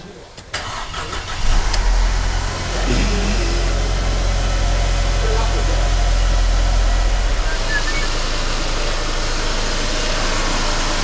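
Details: Mercedes E250 CGI W212 M271 cold start: cranks, catches, then settles into an uneven, lumpy idle with a wavering beat; stalls on first cold start with pending P2301/P2304/P2307/P2310 despite four new ignition coils, stops stalling and drives normally once coolant warms; cause unresolved.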